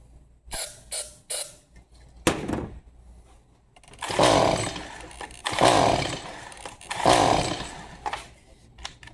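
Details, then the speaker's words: Stihl MS 180C chainsaw, spark confirmed, on starting fluid, half choked: pulls then three short firing bursts each dying within a second; starts only on starting fluid, likely gummed-up carburetor. "All right, so it will start on starting fluid. Um more than likely it's a gummed up carburetor."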